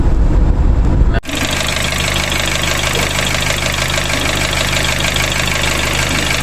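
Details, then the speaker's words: Nissan Grand Livina climbing hills: oil warning light came on again a few kilometres after an oil change that reused the old filter. The engine catches, then settles into an uneven, lumpy, coarse-rattling rough idle. Cause unknown. "Kemudian ketika lampu indikator oli itu nyala, suara mesin itu kasar. Bunyinya seperti ini, ada videonya"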